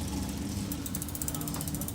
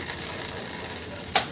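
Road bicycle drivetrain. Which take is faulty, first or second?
first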